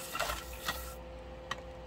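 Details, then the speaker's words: Speedball Artista pottery wheel spinning at maximum speed: steady motor hum with a few irregular knocks from leftover clay under the wheel head, not a machine fault. "now the knocking you're going to hear some knocking that's clay that's left up under the um the wheel head so it's nothing wrong with the machine"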